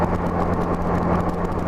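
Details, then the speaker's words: 1984–85 Honda GL1200 Gold Wing after installing Honda's June 1985 low-speed driveability carburetor kit, cruising steadily at 55 mph: constant single-pitch engine drone under road and wind rush, no surging or hunting; normal highway cruise. "nice and smooth down the highway right now I'm doing a real steady 55 but if it cruises 7075 real nice and smooth"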